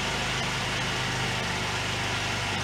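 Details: 1993 Yamaha Riva 125 (Beluga) scooter single after an oil change and filter clean, B12 additive added, run for a minute to recheck oil: even, steady putter at idle, no misses, knocks or rattles; running smoothly.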